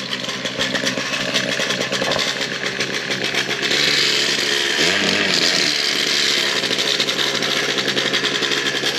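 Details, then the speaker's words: Old Bigfoot GoPed two-stroke running after sitting over 4 years, still needs fine tuning. High, raspy buzz stumbles and wavers instead of holding revs; bogging and running rough. "yeah that's not running healthy at all so we got to figure that out"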